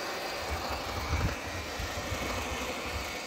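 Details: Car idling in neutral with clutch pedal released: low idle hum with irregular light rattling from gearbox side, which stops when the clutch pedal is pressed; gearbox versus engine source uncertain, cause suspected, not confirmed.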